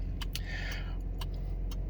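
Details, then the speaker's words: 2018 Chevy Colorado with key on: sharp, regular relay-like clicks about two a second, like a turn signal though none is on, continuing after key off; owner suspects dead remote key fob batteries, unconfirmed. "clicking sound in a 2018 chevy colorado um so when i put the key in you can hear it it sounds like the turn signal's on but if you look it's not"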